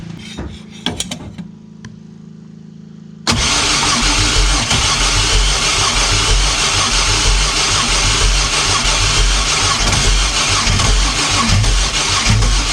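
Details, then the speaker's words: 3800 supercharged V6 swapped into a 1988 Pontiac Fiero-based F355 replica, first start after reinstall: it catches, then idles lumpy and uneven like a misfire. Owner suspects crossed spark plug wires; oil pressure is present. "sounds like one of the got one of the spark plug wires across"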